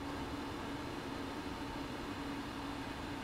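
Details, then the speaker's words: Burner test with quartz tube and stainless pipe: steady mid-pitched hum over even burner roar; whole pipe vibrating intensely yet not hot, sharp pin-prick feel on the finger; resonance of uncertain cause. "the whole pipe is a vibrating at supersonic speed right here it's not hot that's strange"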